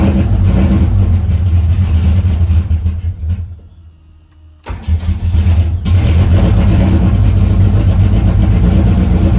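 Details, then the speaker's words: Engine just converted from solid to hydraulic lifters, cranked with ignition disabled: lumpy, uneven cranking beat of about 160 per minute, as if down a cylinder; owner suspects no oil in maybe two lifters and plans a compression test. "all right well if you heard it cranking it sounds like it's down a cylinder which either is there's no oil in maybe two of those lifters"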